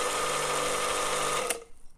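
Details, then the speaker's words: Karcher K 5.20 pressure washer that hummed but would not start, after replacing a failed capacitor: motor spins up to a smooth even whine with no hum or stall, valve works, shuts off cleanly; runs normally. "Ух ты даже клапан работает Как хорошо работает аппарат класс замечательно"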